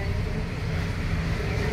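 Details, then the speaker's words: LG automatic washing machine, about 20 years old, that would not drain or spin, tested after its drain motor was replaced. The drum spins with a constant low rumble and steady hum, no scraping or banging; it spins normally and needs no further repair. "okay pa po siya okay pa wala ng kailangan ayusin"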